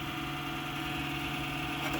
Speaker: Sounds like it might actually be the power supply fan. Yeah, that's the power supply fan, so that's no good too.